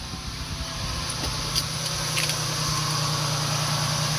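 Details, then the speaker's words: 2000 Ford E150 van, 4.2 V6, at idle after the growling alternator was replaced with a new one: even, low idle rumble with a steady beat and no growl or whine; the charging system tests good. "big difference from what it was before right charging system was gonna be okay"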